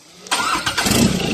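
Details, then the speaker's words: Ford 2.2 diesel start after repaired injectors, bench-tested and refitted to the vehicle: short crank, fires at once and settles into an even, smooth clatter with no misses, starts very easily. Normal start and idle. "ติดเลยนะครับติดเลยนะครับติดง่ายดายมากนะครับติดง่ายดายมากนะครับเสียงเครื่องนิ่มนวลนะครับ"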